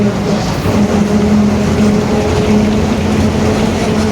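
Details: 2021 Marcopolo Torino S bus on Mercedes-Benz OF-1721 BlueTec 5 diesel chassis, urban service: steady low drone under the diesel while cruising, constant hum holding with road speed; roaring, worn rear differential.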